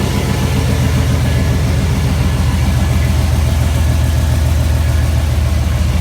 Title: No more exhaust leaks